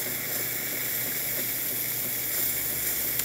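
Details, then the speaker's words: Jura Impressa F9 espresso machine, fully heated, after a new encoder was fitted for error 8. Steady, even hiss of steam with no sputtering or surging: normal steam output. "good steam coming out of the one excellent steam looking great working it"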